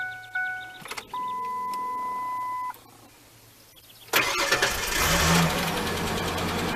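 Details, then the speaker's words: Project Ford Explorer, still on old gas, needing oil and antifreeze, after several failed tries: chime, short crank, catches cleanly into even idle, no belt squeal this time; normal start and idle. "Wow, it actually started better. It didn't even squeal. Oh, there she is running again."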